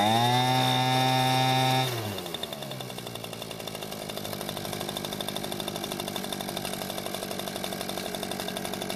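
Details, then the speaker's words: Echo two-stroke leaf blower after carburetor service and filter base replaced: brief high rev then even steady idle with regular beat; no fuel leak after sitting. Normal running. "it seems to be running just fine now and after letting it sit for a few hours there wasn't any fuel leaking from the carburetor"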